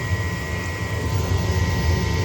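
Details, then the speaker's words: 70,000 BTU upflow Lennox furnace, no-heat call, doors off: only the inducer's steady low hum with faint fixed tones, no burner lighting; fault code shows pressure switch failed to close or reopen, stuck diaphragm. "Right now, just my inducer is running."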